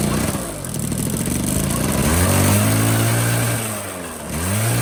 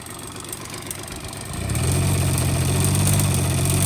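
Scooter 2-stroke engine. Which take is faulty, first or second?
second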